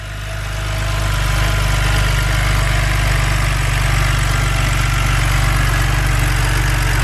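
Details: BMW N52 engine: uneven, loping rough idle under steady drone; ignition coils and plugs reseated with no change.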